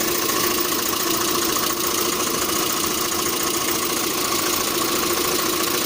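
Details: 1.6 8-valve engine; rough idle with a loose uneven tapping about three to four knocks a second under a hissy background, sometimes also when adding throttle at start-up: engine knock, cause not confirmed.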